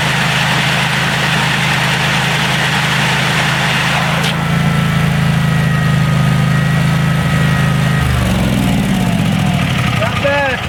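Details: DR all-terrain self-propelled mower with a 17 hp Kawasaki, after a carburetor clean-out (it previously wouldn't run off choke, suspected clogged air bleed), snow thrower attachment fitted, no-choke start: steady, even single-cylinder drone, then smooth wind-down; runs clean without hunting.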